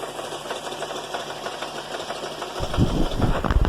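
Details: GMC Acadia/Buick Enclave/Chevy Traverse with a nasty engine rattle at idle, a quick, uneven metallic rattle about three times a second. The cause was loose flex plate to torque converter bolts, left without thread locker after a previous transmission replacement.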